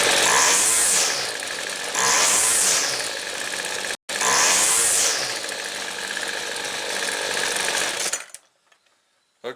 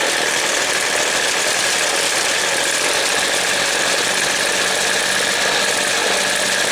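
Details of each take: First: Weed Eater two-stroke trimmer after the low jet is reopened about a quarter turn from a bogging setting: crisp, quick revs on three throttle blips, good throttle response, though idle is slightly high. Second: Weed Eater two-stroke trimmer during carb adjustment: a dense, buzzy, slightly uneven drone that slows as the low-speed jet is opened too far, running rich and bogging before the jet is closed back.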